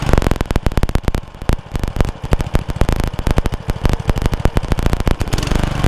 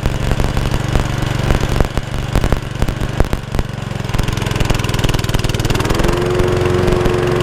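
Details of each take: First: Honda Lawn Flite 553 HWS lawnmower on the bench: uneven popping beat that keeps speeding up and slackening, never settling; the engine is hunting. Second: Honda Lawn Flite 553 HWS lawnmower after the tiny carburettor jet atop the tube was cleared: holds a steady, even beat with no surging or hunting; normal running after the repair.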